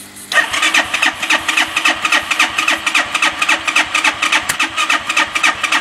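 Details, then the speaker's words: Bashan 200cc: rapid cranking at about four pulses per second, firing weakly without settling to idle. Starts only with starting fluid, then cuts out; owner suspects a dirty carburetor. "and can't get this to start we try to on it one and then if we put easy start on it it starts but then cuts out start in start it and then it coms out again"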